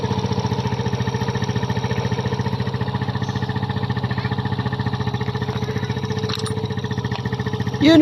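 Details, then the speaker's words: Kymco Visar 110 scooter after a new crankshaft assembly with connecting rod was fitted to cure a rod knock: steady even single-cylinder putter at constant idle, no knock or clatter; normal idle. "Nawala na ang tunog ng kanyang makina. Natunog ka lang pag connecting rod dahil napalitan natin siya ng bagong crank shop assembly."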